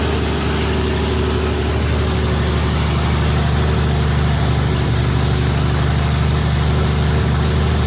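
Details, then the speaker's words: Freshly rebuilt 1977 Toyota 2F engine (new rings, bearings, 0.40 shaved head, new carb, headers) in FJ45 during break-in at 1,500 rpm for 15 minutes; smooth, even low drone, no knocks, ticks or misses: normal fast idle. "I've also got one of these RPM gauge so that we can get the engine up to 1,500 rpm about 15 minutes so we're gonna fire it up break everything in"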